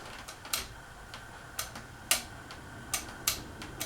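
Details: 2001 Casablanca Panama 2 ceiling fan on speed 1 without blades: sharp faint ticks at uneven ~1 s intervals over quiet motor hum, clicking coming from the canopy.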